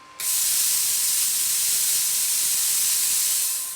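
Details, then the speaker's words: Brand-new Viv Arc plasma cutter straight out of the box, running at 60 psi: steady loud hiss of air after trigger pull, no arc crackle; pilot arc never lights. "Still no pilot arc. So if we turn the air pressure down again, a bit more, down to about 20 psi now will it work?"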